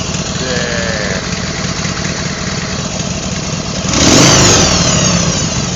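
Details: Twin-cylinder engine after fitting new matched pair of pistons and cylinders, needing running in: runs evenly and revs cleanly with no tapping or slap; previous noise, believed extreme piston slap, completely gone.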